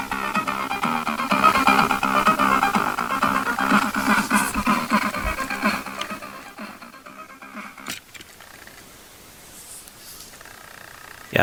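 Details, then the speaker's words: Commodore 64 (spare board converted NTSC to PAL) after removing a short: game music now plays proper, a steady clean chiptune melody with even beat, no longer messed up; recording quality is somewhat poor. "And I will also check again these games, so you can hear the music is now proper, and the sound recording is a little bit bad, but"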